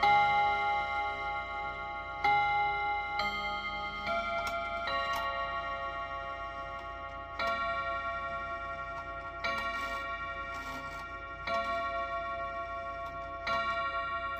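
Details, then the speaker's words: Freshly reassembled Westminster chime clock after first service, top-of-hour test: full Westminster chime, then four slow hour strikes about two seconds apart where one was due (first heard as 3); strike count off, cause not confirmed. "We chimed 3. That's not great. Did you actually count 4? Well, I didn't the first time, but rewatching the video as I edit, I counted 4,"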